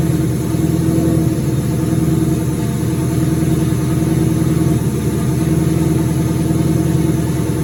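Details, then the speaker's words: 2003 turbo Mustang Cobra V8 idling after reinstall with new valve cover gaskets, about 55 psi return-style fuel, intercooler cold-side pipe disconnected: steady even idle with deep unbroken beat, no knocks or misses; normal idle. "And good to go. Sounds good. I'm glad to hear it run again."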